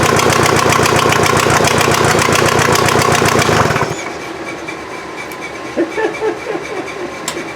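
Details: VW diesel in an offroad Mazda just after first start: clatters at about 220 even beats a minute for four seconds, then shuts off; injection pump still needs tweaking, head gasket suspected from smoke.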